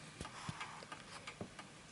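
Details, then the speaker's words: 1920s 8-day Napoleon hat antique mantel clock, calibrated with rear lever to level the table surface: crisp, even tick-tock at roughly three beats a second in a quiet room, tick and tock evenly spaced; clock running in beat. "that the tick and the tock are evenly spaced."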